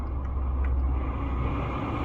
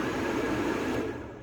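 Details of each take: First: 2009 Lincoln Town Car, after repair of blower motor that ran constantly with key on engine off: engine idling, AC switched on, steady even rush of air over the engine hum with no surging; blower now working normally. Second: 2009 Lincoln Town Car, blower heard with the key off and a jumper across relay terminals 30 and 87: rushes at full speed, then dies away when removed; shorted blower speed controller at the back of the engine, not the climate control unit.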